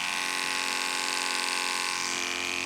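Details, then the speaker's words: Andis Pulse cordless clipper on a full battery, fitted with a blunt 7FC blade: a steady high buzz that sags in pitch, with power down compared with a sharp 10 blade; the motor is straining to drive the dull blade. "But on the Andis pulse, what will happen, as you can see, it's already it's using all the power it's got to drive that blade."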